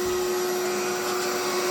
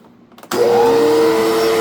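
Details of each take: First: Electrolux 2100 vacuum running with power nozzle: steady loud roar with a strong fixed whine and harsh, rough edge; motor sounds tired and louder than expected, possibly a replacement motor, cause unknown. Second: Electrolux 2100 canister vacuum with power nozzle attached: motor spins up quickly then smooth even whir; power nozzle sounds normal, though owner thinks the vacuum motor sounds off, possibly needing work or replaced.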